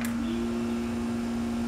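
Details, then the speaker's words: Trolling motor after a tune-up, with the prop realigned and screws retightened: a steady, clean electric hum holds one pitch and sounds more powerful than before. "you guys can hear that humming sound it sounds a lot more powerful than it did before"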